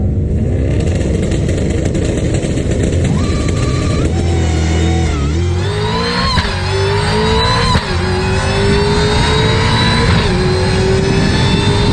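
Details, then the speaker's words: Diaphragm clutch set up to act like an adjustable clutch, on launch: revs flare to about 5,000 RPM while slipping, level off, dip as the clutch locks up and pull the motor down, then climb again; normal intended clutch slip. "heard how it was soon as it soon as I dumped the clutch RPMs went all the way up and then it started to level off and then it dipped a little bit for lock up and then it started going back up again"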